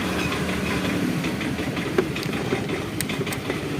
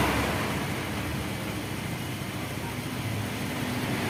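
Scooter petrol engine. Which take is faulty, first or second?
first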